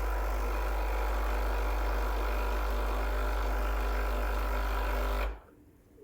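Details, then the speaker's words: Freshly serviced, warmed-up Breville Barista Express BES870. Hot water spout dispenses 250 ml, stoppable anytime. Steady low pump buzz for about five seconds, then a clean cutoff. Normal pump operation. "dispense 250 ml of water every time you can stop it at any time of course"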